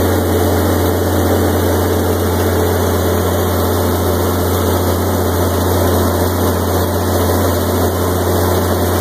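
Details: 1986 Onan 30 kW gasoline generator, 242 hours, 60 Hz set up for 240/480 V, after start-up: steady even low drone, no knocks or misses; normal running.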